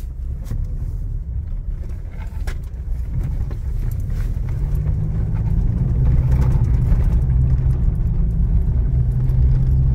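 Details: 2021 Toyota Hilux, 88,720 km, driving with the phone mic placed under the steering column after the column parts linking wheel to steering box were serviced: only a steady low road rumble builds with speed, no clunks or knocks; the column noise is gone.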